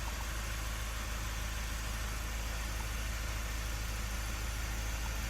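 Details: Mazda 3 diesel after a new brake vacuum pump is fitted for a P258B code and hard brake pedal, brake boost reading 7.6 kPa at idle: smooth, even idle with a steady low rumble, no knocks, ticks or whine; healthy.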